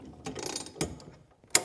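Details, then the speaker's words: 1958 Stuart Turner P5M two-stroke single-cylinder inboard boat motor, hand-cranked with the starting handle: slow ratcheting clicks, then a sharp snap as the magneto winds up and releases, a normal impulse click; the magneto coil was missing. "现在，如果我现在把这个曲柄把手取下来并把它转过来；您可能会，我们开始，您可以听到咔哒声。这实际上是磁电机上链然后释放。"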